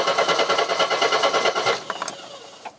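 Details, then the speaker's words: Mercedes W123 230E on restart after running well, first run in about 16 years: quick even starter chatter for about a second and a half that never catches then dies away; cranks, no start, cause unknown. "why are you working now you're happy a minute ago oh come on [Laughter] [Music] you were running brilliantly what's going on here"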